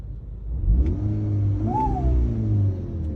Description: Right after the turbo was installed the turbo made a whining sound under low or high load. The whining sound got so bad that other parts started rattling.